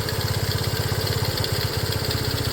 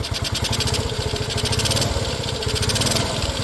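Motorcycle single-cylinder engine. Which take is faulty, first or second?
second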